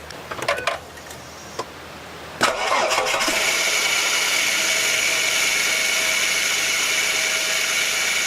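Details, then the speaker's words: Ford BA Falcon engine idling before top idler pulley replacement: once it fires, a steady high-pitched whirring squeal sits over the idle without pulsing, from the worn top idler pulley bearing. "the top pulley on here I'll tell you why it's important to replace if it gets noisy"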